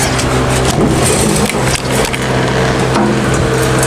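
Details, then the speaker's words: Old generator, possibly Generac, fuel tank being tipped about: gritty scraping and loose rattling as debris slides inside; tank filled with debris, needs cleaning; petcock also leaks from a missing nut. "You can hear everything sliding around in there."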